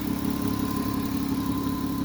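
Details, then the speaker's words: Car that didn't want to shift, with a broken vacuum hose, started to listen for hissing. Steady, even idle with a smooth low hum and no hiss or stumble; judged running well. Normal idle. "It's not biggie, it's running well."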